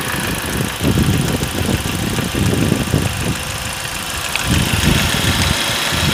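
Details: Ford Focus 2, 1.8 petrol 125 hp, 95,000 km: idling with an uneven tapping knock that returns and grows when parked at idle; dealer blamed AC clutch, but knock returned after removing AC belt; source unknown.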